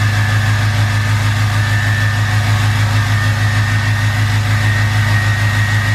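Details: 2020 Duramax L5P diesel just fitted with new Stealth 67 V2 turbo, heard from cab with windows cracked: steady rumble with clean faint high turbo whistle, no hiss or rattle; spools faster than before, normal.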